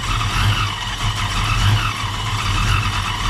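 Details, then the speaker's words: 1987 Ford Mustang LX 5.0 V8 automatic, Vortech A-Trim supercharged, speed density: deep loping note surging and dipping about every second while revved, owner says it sounds cammed; lumpy uneven running. "sounds like it's got a damn cam in it don't it"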